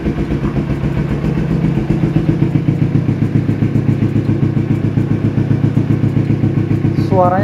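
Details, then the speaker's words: Carbureted Kawasaki Ninja 250R twin being checked before purchase: engine catches and settles into a round, even exhaust beat with no misses or rattles; normal start and smooth, healthy idle. "bulet-bulet banget enak dan suara mesin juga masih enak banget"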